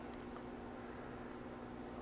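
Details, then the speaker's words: Magnum inverter cooling fan on a 48 V off-grid system during absorb charging at about 58 V, with the two inverters giving 18 and 17 amps: steady even whoosh with a faint hum and no rubbing or ticking, normal. "back on with the AC absorb charging and here come the amps fans turning on"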